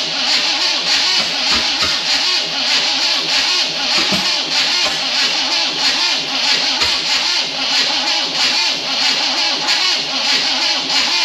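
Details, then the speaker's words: 1974 Chevy K20 small block, first start after sitting outside for years, distributor three teeth off: thin, uneven cranking that won't start, only two cylinders seeming to fire, ignition timing off. "sounds like the same two that are fire though it does only sound like two that are firing you're right"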